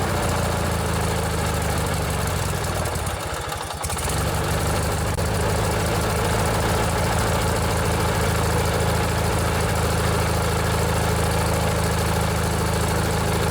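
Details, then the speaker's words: Briggs & Stratton 16 hp opposed-twin engine on a vintage riding mower, choke cable modified: even, steady low thrum at fast idle with no misses, knocks or rattles; runs smooth and healthy. "This is one of my favorite engines that Briggs and Stratton ever built. They run really smooth and they have a lot of power."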